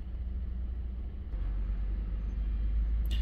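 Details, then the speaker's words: 2014 Ford F-150 3.5L EcoBoost, previously rough running with flashing check engine light under load, accelerating hard after repair: smooth, deep note swelling evenly, no stumble or miss, no flashing light; normal running. "much much better accelerates better runs smoother and no flashing check engine light"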